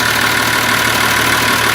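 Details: Massey Ferguson 1200 diesel idling smoothly and steadily after refitting turbo and manifold and priming the turbo oil lines, good oil flow through the turbo, no catching or rubbing after the alternator bracket contact was cleared; normal idle.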